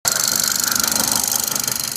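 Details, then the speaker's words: BMW B48 engine: fast, even, sharp ticking at about twenty clicks a second over a quiet engine hum. It stops when a specific engine-bay component is unplugged and returns when reconnected; replacing that part fixes it. "这种哒哒哒的声音啊，很多B18的车主都在问这个声音从哪里发出来的。"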